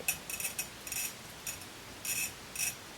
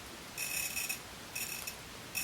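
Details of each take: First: see, that's where I finished the whole circle, and it made that different, much coarser, rougher sound. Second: that little bit of a grinding sort of sound? It's very uniform as I press and turn.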